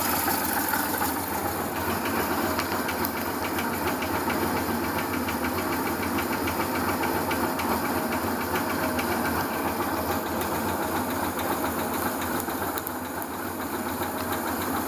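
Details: Yamaha FZ2 motorcycle fitted with an SRV250 twin engine, heard first at the left side of the front cylinder, then from the fuel tank; steady idle with irregular light ticking about three to four per second; abnormal engine noise, cause unknown.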